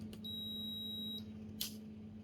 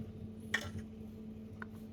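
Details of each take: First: Midea induction cooktop under repair for unstable power and shutting off once boiling, 5 V regulator measuring 5.2 V: two clean, steady high power-on beeps about three seconds apart over a low fan hum, crisper than the earlier weak chime; normal. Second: Midea induction cooktop with flickering power: sharp ticks about a second apart over a low hum as power cuts in and out after pulling a filter capacitor beside the zener diode, found as the culprit.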